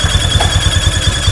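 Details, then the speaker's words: Honda Vario 150 scooter at idle: thin, steady high squeak over a quick even putter, vanishing when revs rise and returning at idle, persisting after water spray; mechanic suspects the CVT area, not confirmed. "menurut dugaan saya Pak ini sepertinya dari bagian Septi Pak ini dari bagian Septi bunyi tikus namun saat e gas ditarik Pak ya saat RPM naik ini suaranya hilang Pak ya"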